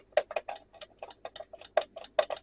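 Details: Electronic 240 V sewing machine foot pedal speed controller, after repair reassembly with spring refitted: crisp irregular clicks, a few per second, clean with no scraping or crackle; pedal switch operates normally.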